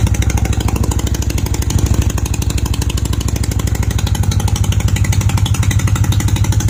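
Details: Honda CB250 Nighthawk after repairing an exhaust leak at the header bracket and stud, with oil freshly changed: a steady twin idle with even low thumps about three a second and no obvious puffing leak at the headers.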